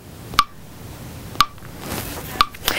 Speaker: knocking sound is just fine. It's just taking a moment to process the picture.